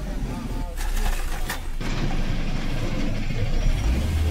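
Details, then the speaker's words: 2023 Hyundai i20 petrol, long-cranking and dead RPM meter fixed by reattaching a broken crankshaft sensor: starts immediately on the starter and settles into a steady, even low rumble, no stumble or misfire; RPM meter works again. "ఇప్పుడు okay friends ఇప్పుడు బాగా set అయింది బండి బాగా start అవుతుంది cell కొడితేనే start అయిపోతుంది ఇప్పుడు"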